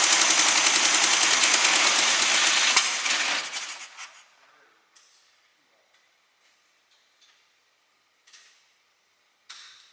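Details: Newly acquired SpraCoupe engine for a 1961 VW bus, running on coil from original bus engine: quick even firing at steady idle for a few seconds before switch-off; oil light goes off instantly; smooth and healthy.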